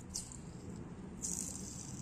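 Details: Yamaha Aerox engine noise traced after inlet valve readjustment: a loose, worn engine bearing spun by hand gives a dry, gritty rattle with a hiss on top, unlike the smooth new bearing; to be replaced with an SKF bearing.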